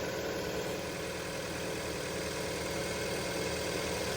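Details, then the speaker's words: 2003 Audi A3 2.0 petrol, not started in 10 years, just fitted with a new battery: fired within seconds and idles evenly and smoothly with a steady low beat, no knocks or misses; auto choke just disengaged. Normal idle. "Well done, Audi. I'm impressed. Sounds pretty well, really."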